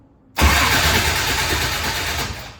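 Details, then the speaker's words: Engine with Meziere racing starter and relay kit after upgrading to a bigger battery cable on a 12 V battery, formerly about 7 V at the solenoid while cranking: brisk spin and near-instant firing; normal fast cranking. "that's a lot better what do you think Hannah it ain't playing around I'll say that that's a lot lot better that almost sounds like it's on 16 volts and that's just 12vt battery right there"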